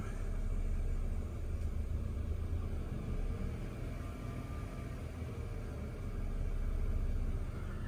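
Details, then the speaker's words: BMW 328i with no engine fault codes, recently fitted with a used sensor, revved then back at idle: low rumble swells and sags slowly over several seconds instead of holding steady; owner suspects a vacuum leak; idle hunting. "Let's try revving it. That's as high as it will go without any fault codes. And now it's probably going to start the hunting thing again."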